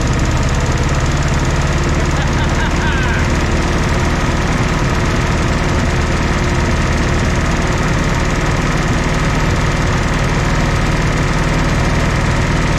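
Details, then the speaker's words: 1964 Jeep CJ5 barn find, previously seized engine, just revived: loud, steady low idle with no misses, knock or tapping after the fourth cylinder kicked in; smoky but running normally. "I am so tickled to see this thing actually sitting here running this is awesome oh guys I am just so happy about this you guys hear how smooth this thing's actually running"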